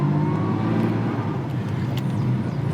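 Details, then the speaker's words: Jaguar Mk2 with original 4-speed Moss gearbox, cold, just off choke: steady tonal whine over the engine as the car pulls onto the road, pitch following road speed; normal, characteristic Moss box whine. "Going out onto the road, and you'll hear the lovely Moss box whine."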